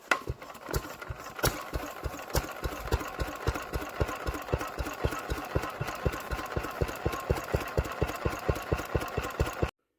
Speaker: yeah so I think that could be I think once that was done that would be our um well our engine running it seems to run sweet and a nut actually